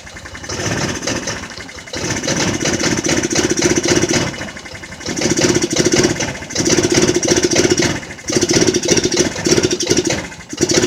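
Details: Jonway Xpressway 250cc scooter after first repairs, which previously would not start at all: engine catches and runs in uneven surges, stumbling and dying back with ragged irregular firing; cause of hard starting unclear.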